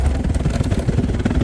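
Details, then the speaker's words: Cornelius ice machine bin with nugget ice piled too high and clumped: heavy lumpy thumping and clatter as the agitator struggles and the whole block turns at once; the planned fix is installing the bin extension kit for the thermostat probe. "it's better to put an extension kit on these so that the ice won't pile up so much, because then with the nugget ice it just ends up clumping up together, and then it's very hard for the agitator to dispense that. You can see how it's struggling, turning, and then the whole block turns all in one, and that's no good."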